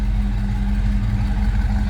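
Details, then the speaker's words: 1962 Austin-Healey replica (Sebring MX) with a 289 V8, heard from the rear at idle: deep, steady rumble with an even beat, no ticking or knocking; sounds healthy. "A little rumble coming out of that 289. This thing has to move. Sounds good."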